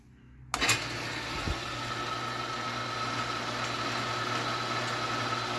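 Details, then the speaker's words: Craftsman 12x36 lathe running in neutral, power feed off, after pulley-to-cover rubbing was cured by loosening bolts and swinging parts out: smooth, stable steady hum with faint whine, no rubbing; normal running. "So you can tell that's pretty smooth and stable."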